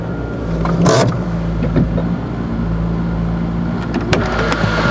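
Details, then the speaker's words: Citroën BX engine after reassembly holds a steady, even hum noticeably faster than normal idle with no misses or knocks; high idle, suspected to be cable-related, improved after adjustment. "I have a high idle. I think I know why cable tends to be a bit better."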